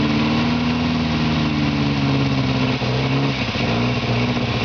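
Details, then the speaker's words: 1949 Morris Minor low-light engine first started after many years in a barn, on starting spray; uneven, lumpy idle with dips, misfiring and running lean as petrol in the float chamber runs out; smoke is oil sprayed on exhaust manifold. "all that smoke just the oil that we sprayed over the exhaust manifold to stop it rusting and it's misfiring a bit and it's getting a bit lean cuz we're running out of Petrol in the float chamber"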